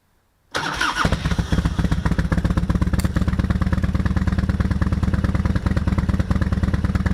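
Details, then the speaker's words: Harley-Davidson FXR with stock Keihin CV40 carburetor and K&N filter, fuel petcock turned off to drain the float bowl before carb removal: engine catches at once and settles into a loping, regular V-twin idle of about three beats per second, healthy. "go ahead and fire the bike up and just let it idle until it dies"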